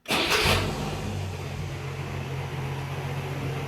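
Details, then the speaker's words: Carbureted engine after leaning the carb to cure a rich, off-idle flat spot: quick catch on the starter, brief flare, then steady low idle with no stumble or hunting; starts and idles properly. "So, yeah, there it is. Sounds good, runs good, starts good."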